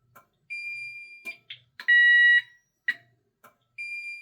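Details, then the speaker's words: Safe House 49-485 alarm panel siren test with the delay button held: burglary and fire sounders alternate about every second, one steady and one shrill tone, with short keypad beeps between; normal test. "this the sirens test and they test alternating about every second. So, the burglary burglary zone sounds and then the fire zone sounds and they just keep alternating as long as you hold that delay button in."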